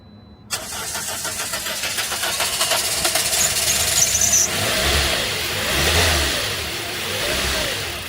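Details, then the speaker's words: 2010 Toyota Corolla: starter cranks about four seconds before the engine catches and runs unevenly; every couple of months it fires and dies and needs cranking with some gas, cause unconfirmed. "Like every couple months you'll go to start it and it'll fire and it'll die and you got to crank it and give it some gas."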